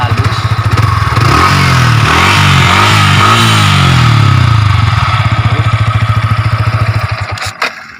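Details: Yamaha R15 v3, 155 cc: even, steady low putter at idle with a brief blip of revs midway, no knocks or rattles; runs smoothly and sounds healthy.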